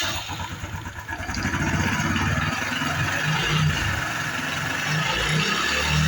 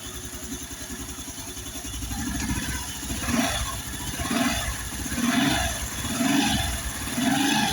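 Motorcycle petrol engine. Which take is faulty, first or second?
first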